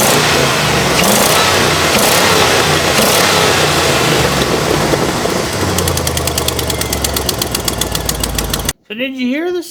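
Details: 2004 GMC truck engine at idle: loud rough run, then a quick, regular ticking puff that follows engine speed, from a massive leak at the manifold; exhaust manifold leak.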